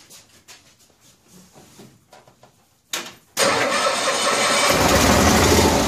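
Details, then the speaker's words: 1974 Cushman Truckster Haulster, cold start after rewiring and using starting fluid: rapid, even starter cranking at about three beats per second that never catches. Air in the fuel line is suspected. "I might have to rig something here some way or another gonna have to get the fuel up there and if it's all air in the line"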